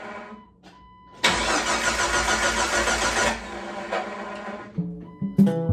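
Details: Jeep 4.0 after overhaul, just after installing a new crankshaft position sensor replacing the old one: starter spins steadily for about two seconds but never catches; no spark signal, caused by broken crank sensor wiring.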